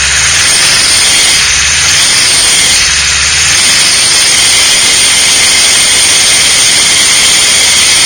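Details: VW with a mystery noise, phone held low beneath the engine at idle. A loud, steady high-pitched squeal and hiss sits over a quiet idle; it runs and shifts fine, and removing the alternator belt made no difference. Source still unknown.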